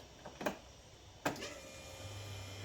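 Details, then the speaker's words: Land Rover Defender 130 Td5 first start-up after rebuild: two sharp clicks then a low steady electric hum as the lift pump primes while the engine management light flashes; normal priming. "So, with a bit of luck now, that's purged all the air out of it. Obviously, we got to fill this fuel filter up."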